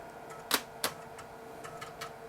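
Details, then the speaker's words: Dell 486P/20 (486SX 20MHz) replacement floppy drive at boot: quick, crisp ticks and sharp clacks as heads seek, faster than the Panasonic drive removed; normal, healthy floppy seek. "starting in this drive sounds faster than the Panasonic we just took out sounds like the heads are moving around much"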